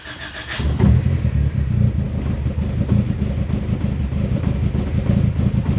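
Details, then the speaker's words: Turbo Honda Civic with a locked-VTEC SOHC D16Z6, first start after valve clearances (found loose) were adjusted, on a cold day: a brief crank catches quickly into a steady, slightly lumpy cold idle with no valve tick. Normal cold start and idle. "you might have to adjust that idle a little bit but we'll see once it warms up and comes down we'll see how it sounds the valves are definitely not as noisy like this quiet"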